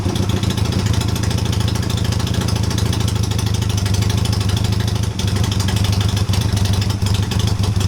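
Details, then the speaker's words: Honda CB250 scrambler build, first start in a while on a charged battery with new mufflers fitted, cold on choke: fast, steady burbling idle holding even, no stumbles or ticks; healthy. "I've got the battery on charge, so it should fire up. It's not been fired up for a while. We'll see how it goes. A bit of choke and"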